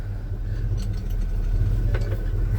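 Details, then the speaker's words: 1984 Chevy C10 V8, mechanically all new, idling while warming: deep, even burble with steady low pulse and no knocks or ticks; healthy-sounding engine. "I think I got it in first I'm going to let it run for just a minute just because to be honest with"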